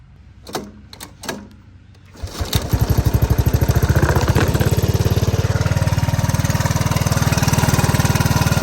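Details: Honda ATC 185 after carburetor adjustments, because it would not start without starting fluid. A few pulls, then the single cylinder settles into a steady, even idle thump with no misses: normal idle.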